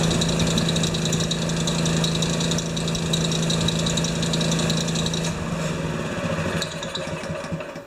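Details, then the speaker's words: Honda-powered wheelbarrow air compressor, pressure switch set to cut off at 125 psi. A steady loaded chug holds, then the pitch drops and the beat dies out: the engine stalls when the compressor unloads instead of going to idle; the owner plans to raise the idle. "Okay, it turned off, but it also stalled the engine. That's too bad."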